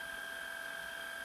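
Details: Shark Rocket stick vacuum after fixing suction problem, tissue suction test below max power; steady even high-pitched motor whine, clean unbroken airflow, no surging or rattle. Normal suction.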